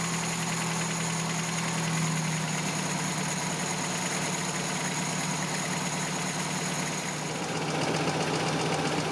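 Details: 1987 Toyota pickup 22R four-cylinder after carburetor rebuild and cleaning, idle mixture screw 3.5 turns out, base idle set around 750 rpm: smooth, even idle with no hunting or stumbling; sounds healthy.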